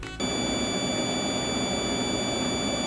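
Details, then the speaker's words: Electroluminescent lighting inverter: a steady, piercing high whine with a fainter squeal above it that never lets up. It is the EL inverter's buzz. "annoying buzz would not go away the only way that I could drown it out was by turning the volume on my speaker's loud enough or using my headphones"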